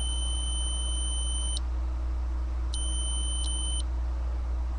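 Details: Datsun 280Z ignition switch, removed and tested on the S and B (starter/battery) terminals with a continuity beeper; the steady beep cuts out briefly then returns after a gap, showing intermittent contact. Owner was chasing intermittent no-crank and ECU resets.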